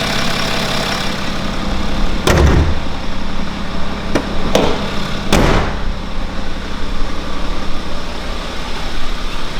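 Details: BMW N57 diesel, first start after timing chain and main bearing replacement: steady even idle with smooth low rumble, no knocks or ticks, a few handling clunks aside; engine sounds healthy.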